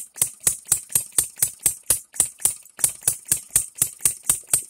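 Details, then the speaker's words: Engine DIY three-stroke model gas engine on fuel mixed 40:1–50:1, oiled with straight 30 oil, first run; sharp crisp pops about two per second with quiet gaps, tries to die but catches; running fine. "wow guys this is probably the coolest thing I've seen in quite a while it tries to die but it it catches for $125"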